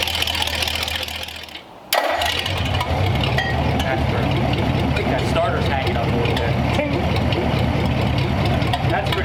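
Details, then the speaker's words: Engine on a newly built run stand, cold day, partly choked with a squirt of fuel: catches after a short crank and settles into an even, steady run with no knocks or misses, sounds like a tractor; healthy. "I think I have it choked a little bit already, but give it a little squirt. Sounds like a tractor."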